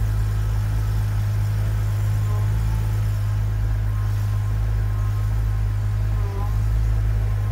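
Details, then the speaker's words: BMW E92/E82 (328i, 335i, 128i, 135i) after steering rack replacement, idling while power steering is bled on the second round: steady low hum, the steering pump whine is gone as air clears from the system; normal pump operation. "As you can hear, the whine from the steering pump is gone. We're getting most of the air out of the system."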